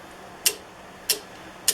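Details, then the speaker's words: 1968 Fiat 850 Spider, engine just installed, key on powering the coil, distributor wiggled by hand: three crisp snapping ticks about 0.6 s apart; normal points spark. "i know it's easy to see that one initially but there is spark which is good there it goes"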